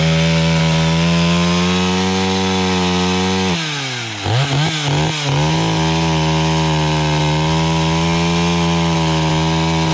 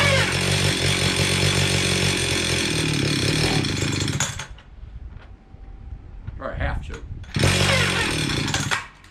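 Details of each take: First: Stihl 031 AV chainsaw, about a 1974 model and unrun for about 5 years, after a carb cleaning: steady high buzz at full throttle, pulls down in the sassafras firewood cut and recovers cleanly; runs evenly and healthy. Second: Stihl 031 AV chainsaw, about 1974–76, unrun about 5 years, choke played with: screams steadily about four seconds, cuts out abruptly, briefly catches again, seems to run out of gas despite fuel in tank; fuel starvation, carburetor issue suspected.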